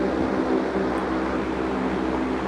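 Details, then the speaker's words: Fasco Arctic Aire Model 200 box fan, almost 50 years old, on low speed, about 6 ft away: loud, steady rushing hum with a faint tone, no knocks or rubbing; normal, simply very loud by design. "the reason why these didn't last long is because they are very loud like this is low speed and it sounds like it's on"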